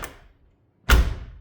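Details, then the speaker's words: 1968 VW Double Cab after installing new front door handles and door-to-body seals: one deep, dull thud with no rattle or tinny ring; the door shuts solidly, sounding like a modern car. "Sounds like a modern car. That's actually one thing I like about later Volkswagens. Usually I'm kind of an earlier Volkswagen guy, but the later cars, Beetles too, they just sound more solid than earlier cars."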